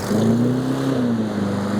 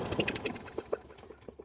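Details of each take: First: Troy-Bilt 21" mower with Briggs & Stratton engine, first start after carburetor cleaning, air filter not yet fitted: catches quickly, holds a steady even drone about five seconds, then winds down cleanly; a fuel-line drip was found afterward. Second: Troy-Bilt 21" mower with Briggs & Stratton engine, carburetor removed, carb cleaner sprayed into the cylinder: a handful of sharp, uneven pops with no steady running, showing compression and spark are present.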